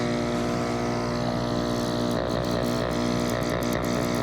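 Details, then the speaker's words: Active Aqua hydroponic air pump after fix (shelves snipped, zip tie added), running at max: steady buzzing hum, constant pitch, no rattles or surging. Normal running. "now it's on low you can barely hear it"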